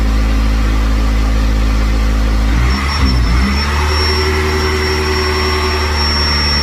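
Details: C5 first start-up after the intake, throttle body and manifold were removed and refitted, coolant added, on a jump: the idle dips and wanders under a thin high whistle. Surging idle; a vacuum leak at the manifold is suspected, and the manifold is to be refitted.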